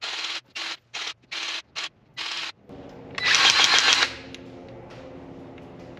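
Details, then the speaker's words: Forestry mulcher for a Chinese mini skid steer, lower bearing being greased while spun by hand: hissing grease-gun strokes then sharp little clicking crackle like kindling as grease purges through the bearing, greasing complete. "You hear that little clicking? That's the sound of the grease has made it all the way through."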